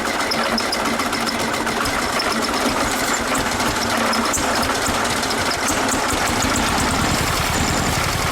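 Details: VW Super Beetle Volksrod flat-four on its first cold start after rewiring: an uneven, stumbling beat with irregular gaps as a cylinder drops out; misfire, owner unsure whether ignition or one side of the carburetor.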